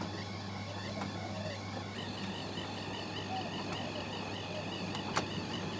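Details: Miele T8929 WP heat pump clothes dryer rescued from the dump: steady low hum of the drum turning evenly, with a very occasional faint high squeak, possibly a bearing (unsure whether it has one). The dryer runs normally.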